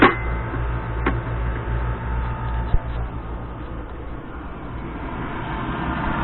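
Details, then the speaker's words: Gas pack furnace's new factory draft inducer motor, replacing a seized one, runs with a steady, even hum with no scraping, squeal or wobble; it spins freely and the system starts normally. "Alright, we can see our inducer motor is spinning now."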